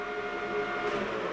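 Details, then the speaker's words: Rutland lathe with newly replaced motor, spindle reading about 688 (gearbox setting 680): thin, steady mid-pitched gearbox whine over the running lathe, no grinding or knocks; the same whine it has always had, normal. "the whine of that gearbox. Is the exact same whine this thing has had since the day I had it."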